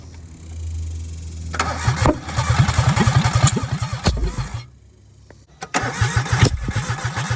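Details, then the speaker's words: 1996 Geo Metro three-cylinder, after plugging vacuum leaks and connecting the distributor: cranks with uneven sputtering pops about three or four a second that never settle into a run; misfire from incorrect firing order. ">> firing order is off. [Music] >> Yeah, it's not right."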